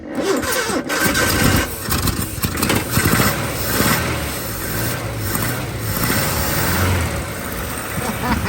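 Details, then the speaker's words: 1981 Chevy LUV truck after 23 years sitting, after fixing coil-to-distributor wire and firing order: catches after rough start, settles into fairly even steady run with some revving; runs well. "She runs and she sounds pretty good. The way it's been. Yes. Damn good."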